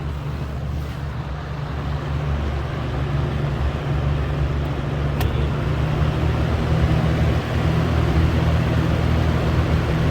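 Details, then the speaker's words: Air King 20-inch box fan, model 9723, about 1998, Marco motor, running on low: steady low drone with a rough, buzzing undertone. The owner is unsure what the odd noise is but calls it a good fan. "It's kind of weird. I'm not sure what that noise is, but it's definitely a good fan."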